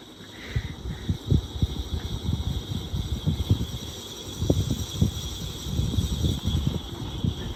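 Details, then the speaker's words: 1994 GEC 120cm ceiling fan from a demolition sale, running at low speed four: uneven low rumble with irregular knocking thumps under the blade whoosh; very badly worn ceiling fan bearing noise. "all right you can hear the bearing noise now if you can hear it's quite noisy isn't it"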